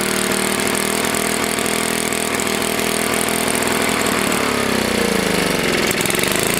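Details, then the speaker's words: Tecumseh HS40 small engine, long unused, after carburetor cleaning, first start: races flat out at steady high speed, then winds down when shut off because the throttle plate is stuck open. "i shut it down because the throttle plate is stuck my plate is stuck"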